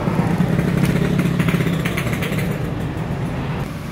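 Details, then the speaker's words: Yamaha F1ZR two-stroke, original ignition, coil and carburetor, air filter rubber fitted; revs raggedly, stuttering and sagging instead of climbing, revs freely with the rubber removed; bogging from air leak at cracked carburetor. "tapi motor gak mau narik gas ngempos banget ya tapi kalau dibuka karet filter udaranya motor bisa digas enteng"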